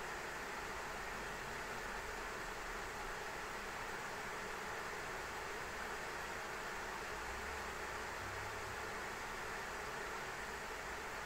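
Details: ASUS ROG Strix RTX 3090 in an XTIA case under benchmark load: steady rushing whoosh of fans at high speed; loud because three radiator fans dump heat onto the three-slot cooler, CPU around 51–57 °C.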